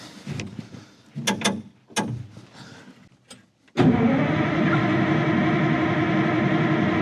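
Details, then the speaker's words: 1960s Insley H2250 100,000 lb excavator diesel, cold in bad weather, no ether or starting spray on hand: steady fast starter churn around four beats a second with even compression pulses, never catching; cranks but won't start, though it started easily last summer. "Fuel. Boy, I hope I don't regret not bringing ether. Not even a lick, huh? Oh, come on."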